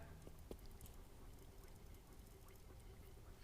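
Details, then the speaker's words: Faint wet pops and fizzes over low hum: normal oil gurgling while pre-lube priming a freshly built LS V8 before first start, oil pressure kept up while slowly cranking; gurgling strongest at number seven, then oil reaching the number one intake rocker. "that's the oil gurgling oh it's really happening on number seven"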